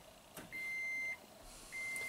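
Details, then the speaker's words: 2010 Toyota Prius, 230k miles, no codes: brake booster assist pump whines and cycles after one pedal press, with hissing of an internal leak in the ABS booster stroke simulator module returning fluid to the reservoir. "hear the pump actually that's not supposed to happen that means it's bleeding off way too quickly and then you can hear this hissing sound that's the actual internal leak returning the fluid to the reservoir"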